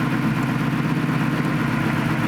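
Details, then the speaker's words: 1965 Ford F250 4x4 with swapped 2018 F-150 Coyote V8: low, uneven idle with a steady lope, engine note doesn't change when one coil is unplugged; dead cylinder, traced to number seven coil circuit, driver or wiring suspected. "hear the engine change but not with that one"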